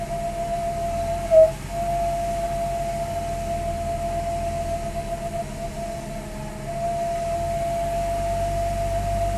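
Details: 2002 Lexus GS300 running: a steady, high, annoying whine over the low engine hum: whining noise.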